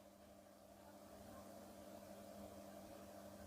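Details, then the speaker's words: Ceiling fan repaired without changing the bearing, formerly noisy especially at the blades, now running silently with only a soft steady electrical hum, no rubbing or clicking. "बिल्कुल silent चल रहा है, कोई भी किसी भी तरह की आवाज़ इसके अंदर नहीं है।"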